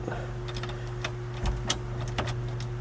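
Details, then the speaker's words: Chevy S10 with a swapped 5.3 V8, key turned on before cranking: a steady low electric hum with a faint high whine for a few seconds as the fuel pump primes normally. It then fires right up and runs well. "I need to put the right key in there's the fuel pump and park brake yeah"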